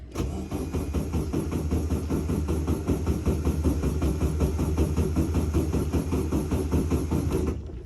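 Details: Volkswagen Beetle custom Poraga 925 convertible barn find, sat unused: steady starter churn with even compression pulses for about seven seconds but never fires; crank-no-start, fuel looks clean, carburettor possibly dried up.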